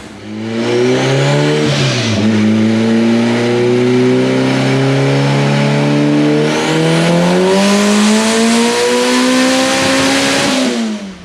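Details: AWD Honda Integra at the track pulling through the revs with a flat note, low power; owner suspects clutch slipping or a boost leak, VTEC-like note never sharpens.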